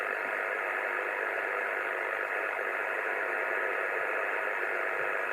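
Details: 2 m (144 MHz) VHF receiver in suburban Sydney after recent powerline work: a steady, loud, even hiss at about S9 with no signal underneath; the radio's noise blanker barely helps. Powerline interference is suspected, not confirmed.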